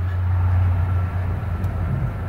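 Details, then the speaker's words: 1998 Ford E-150 mobility van, 92k miles, 4.6 V8 heard with the hood open just after starting: a deep, steady, even idle with no knocks or misses, and no damage or leaks seen. "Underneath the hood is a 4.6 V8 engine. Idles smoothly, no signs of any damage, no signs of any leaks. Engine sounds great."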